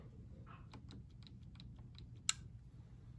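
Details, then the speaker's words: Gas hydronic multi-zone boiler, main-zone thermostat in a no-heat call: quiet room, faint ticking, then one sharp relay click as setpoint is lowered and boiler and circulator shut off; normal thermostat relay click. "okay i heard that click"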